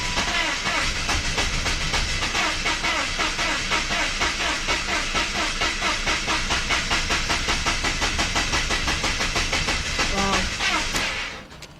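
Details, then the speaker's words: BMW 5 Series (525i/528i/530i/540i) that earlier had no dash lights, cranked after battery reconnected: long even starter churn that never catches; cranks but won't start, fuel pump heard, owner suspects flooding, fouled plugs or low compression. "Wow. Sounds like it's flooded or something."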